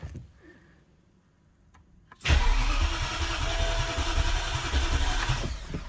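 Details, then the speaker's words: BMW E65 735i V8 on its first crank after an engine swap, with the fuel pump fuse removed so it only cranks. The starter spins it with a quick, even chuffing rhythm; cranking and compression sound normal. "okay sounds normal we have compression we have everything okay that's a good sign"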